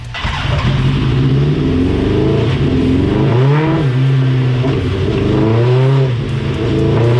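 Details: Dyno pull on a 1987 Suzuki GSX-R 1100 carbureted four after carb cleaning and rejetting: loud, even exhaust drone rising cleanly under load with no stumbling or popping; last run smooth, earlier run choppy, air/fuel good.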